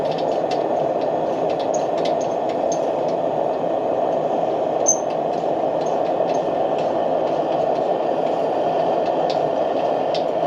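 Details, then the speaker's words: Military pressure lantern, lit and with the mantle filled out and valve opened: even, steady hissing roar with no sputter or pulsing, burner running cleanly at full pressure. "But once you can hear it, once the mantle really starts to fill out, you can crack that valve open and let her sing."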